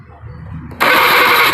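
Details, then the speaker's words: Honda Beat FI scooter with no ignition, LED tester connected: starter cranks with steady even whir but engine never catches; LED stays off when cranking, so the pulser line is concluded faulty. "Tuh itu enggak nyala. Harusnya nyala ini harusnya."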